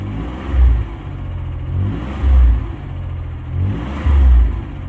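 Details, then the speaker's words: 1990 Dodge Grand Caravan V6 after rebuild, running in: smooth idle with three light throttle blips, revs rising and falling cleanly, firing on all six; slight clanky sound suspected as a lifter, expected to clear with a heat cycle. "sounds like we're running on all six I think"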